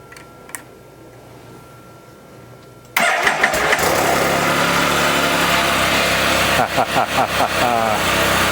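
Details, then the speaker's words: Can-Am Spyder first start after reassembly, oil and antifreeze topped off, cold snowy weather: engine catches after cranking and idles fast with a quick rhythmic puffing tick a few seconds in; owner suspects an exhaust leak. "and just like that sounds like I might have an exhaust leak but uh I'd say that is a great start"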